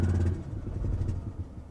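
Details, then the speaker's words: Mazda RX-8 Shinka rotary at Copart, just started after a struggle against flooding: lumpy, uneven low rumble that stumbles and fades within two seconds, as if not firing on all rotors; the cause is unconfirmed. "ooh um on a normal car i would say she's not running on all of her cylinders this one's not running on all of its ports that's for damn sure"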